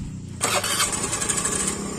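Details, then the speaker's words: Honda Beat FI scooter, idle air screw fully closed: catches and idles with a busy buzz, then revs sag and it dies once the ACV closes; too little idle air, fuel or sensor trouble suspected. "Tunggu, ah pas begitu turun langsung mati. Karena tadi pas pertama langsam itu sensor ini ACV-nya dia masih bekerja, atau kalau karburator itu masih posisi ngecuk. Begitu dia otomatis nutup, sudah nggak mau langsam."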